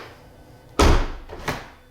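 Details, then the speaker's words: 2015 Tesla Model S door at −19 °C, handle only partly popping the door, glass not dropping enough to clear the chrome trim: heavy thunk, then a second knock, leaving a gap; door not closing fully, glass striking trim. Owner suspects cold. "so it will be noisy now when I close it yeah see the glass didn't wasn't down far enough and it didn't actually close nicely there's that gap"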